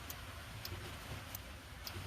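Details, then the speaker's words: Bobcat 773 skid steer after park brake solenoid and locking block spacer replacement, arms reinstalled: crisp single clicks about every half second to second over a low hum as arm activates limit switch, solenoid on; normal operation. "You can hear it, or if you can, I can. This arm's activating okay. My solenoid's on."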